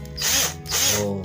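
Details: NRT Pro DC 330 cordless drill after rewinding its burnt RS 550 motor: a high, strong whir surges as the trigger is squeezed and eased, with noticeably more power and vibration than before. Normal running after repair.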